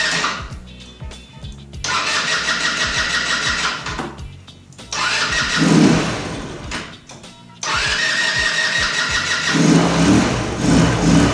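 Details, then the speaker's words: 150cc GY6 scooter, before troubleshooting: fires on repeated tries, revs unevenly then sags and dies instead of idling despite idle screw adjustment; hard start and poor idle, carburetor running rich and flooding. "it's a 150cc scooter it starts but doesn't want to idle even after adjusting the idle idle screw"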